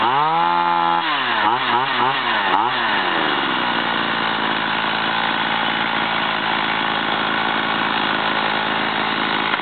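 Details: STIHL 028 AV chainsaw, over 30 years old, after carburetor overhaul and adjustment: a few throttle blips then smooth steady idle with even buzz; healthy two-stroke.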